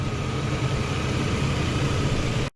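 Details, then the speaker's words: S10 Xtreme with newly installed 4.3 V6, after first test drive, hood open: smooth, even low idle with no knocks, ticks or misses, nothing leaking or spraying; engine sounds healthy. "pop the hood here sounds good nice and nice and smooth nothing spraying out anywhere for sure I think she might be good"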